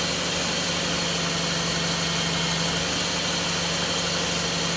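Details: Engine after idler pulley bearing replacement, belt refitted, power-steering pump leak noted: steady, even idle with a smooth low hum and no chirp or squeal from the belt side; normal idle.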